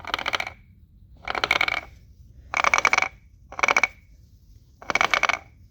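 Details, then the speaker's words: Removed transfer case in four-wheel drive, turned by hand at rear and front shafts: bursts of sharp metallic clacks in several groups that should not be there; damaged internal gear suspected, teardown pending. "there's a bunch of clacking in here should not be there now this is the rear this is the front what happens if I turn the front same thing huh"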